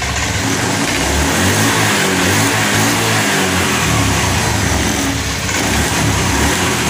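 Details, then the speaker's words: Honda Scoopy FI scooter after injector cleaning, fuel pressure at 40, previously stalled and bogged (ngempos) on throttle after tank cleaning: picks up cleanly on each throttle blip and settles back without bogging or stalling; healthy revving. "Oke teman-teman, seperti yang kita dengar dan lihat Pak ya, ini sudah tidak ngempos Pak."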